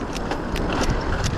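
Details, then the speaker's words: Bicycle ridden in the city, recorded on a GoPro: sharp, irregular ticks, a few per second, through road and wind noise while pedaling; clicking tied to pedaling, source unknown, and it seemed gone in later riding. "all right there is a clicking sound in my pedaling I believe in this clip unfortunately the audio picked it up"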